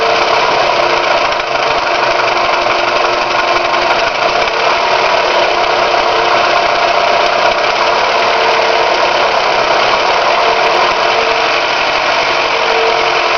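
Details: Toyota 5S-FE engine at idle after shifting out of gear: a fine, persistent rapid tapping layered over the engine note. The owner is asking what is causing the knock; the source is not pinned down.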